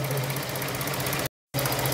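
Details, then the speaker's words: 2000 K11 Nissan Micra Sport, over 85,000 miles, stored ten years, fuel system drained and refilled with fresh fuel: slow, lumpy, sluggish tickover returns after the valve is refitted; idle speed fault, throttle body with idle control valve to be replaced. "ooh slow ticking over slow slow idle now that's what it was doing isn't it ticking over"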